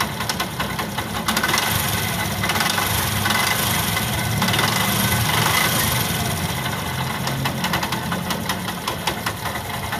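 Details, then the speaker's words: Yamaha YTX motorcycle at idle with a busy, irregular clatter and scraping rattle; found on the magneto side: the three bolts of the starter Bendix drive had snapped, and the bolts were replaced. "So ito nga ang problema mga bossing. Naputol yung turnilyo ng BX drive."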